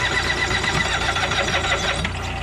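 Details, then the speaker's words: Tractor mower that ran fine weeks ago, new plugs, cleaned carb, nearly dead battery: slow labored cranking with occasional backfire pops, never starts; owner suspects jumped timing belt. "today I try to start it up and it's backfiring a little bit and it just won't start"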